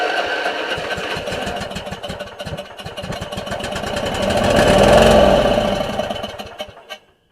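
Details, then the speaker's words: Stanley 46" Murray garden tractor 461008x692A (2003), Briggs & Stratton engine with new spark plugs, run on starter fluid. It cranks, catches and revs briefly, then sputters out within seconds. No gas appears to reach the fuel pump; fuel starvation is suspected. "now that we got to kick over on starter fluid obviously it'll fire and I don't really want to attempt anything more with this particular starter until we figure out why it is that the pump doesn't seem to have any gas going into it"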